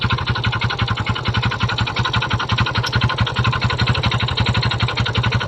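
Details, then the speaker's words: Kymco Visar 110 scooter idling with a steady, rapid metallic knocking rattle from inside the engine. The mechanic notes this noise is usually the clutch on Kymcos but doubts it is the clutch here; cause not confirmed. "hanggang ngayon narinig niyo na ang tunog ng kanyang makina so kadalasang issue ng mga kimco guys ay nangagaling tunog na ganyang ingay is nasa kanyang clutch"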